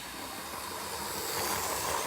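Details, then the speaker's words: Roughly 40-year-old Hornby Class 37 model locomotive after work on the flywheel to cure a squeal: smooth soft hiss building with speed, quiet with no squeal or grinding; normal motor operation. "It's quiet and right down, and it's very smooth and it's a good ride."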